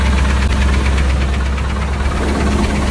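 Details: Engine idling roughly, parked since the noise suddenly began while driving: heavy, uneven knocking a bit under three beats a second; owner unsure whether rod knock or lifter tick.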